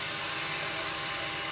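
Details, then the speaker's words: Wrecked 2020 Ducati Panigale V4S being rebuilt; fuel pump re-primed after an earlier fuel leak. Short, steady high-pitched whirr; owner unsure whether the expansion while priming is normal, thinks it is just filling the system. No more leaks; normal priming. "I'll just try and prime it again you can see that expand as it primes like I'm wondering if that's even holding properly or if that's normal"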